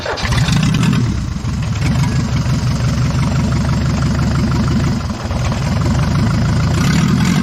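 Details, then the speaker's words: Abandoned, scrap-condition Tempo Trax 4x4, restored to running order: on battery the diesel catches almost at once and settles into a steady, even low clatter at idle with no knocks or misses; normal start and idle. "കാരണം വണ്ടി നമ്മൾ കൊണ്ടുവന്ന് battery വെച്ച് crank ചെയ്തപ്പോൾ തന്നെ വണ്ടി പെട്ടെന്ന് തന്നെ വണ്ടി സ്റ്റാർട്ട് ആയിട്ടോ."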